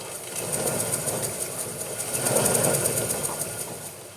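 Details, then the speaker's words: Washing machine motor turned slowly by hand: a gritty scratch repeating about three times a second from a rough commutator. It is clean with no lifted contacts, may just need running in, and the bearings are fine. "none of the contacts are lifted up there's definitely something going on with the commentator but it is clean maybe it just need to run in to be honest"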